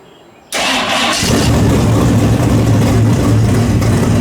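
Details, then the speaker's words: Worn-out 350 V8, timing set at 34 degrees: it catches at once and settles into a strong, even, deep lope with no misses or knocks; sounds healthy. "Well, that thing sounds a whole sight different than it did the other day. That sucker sounds good. That sounds good."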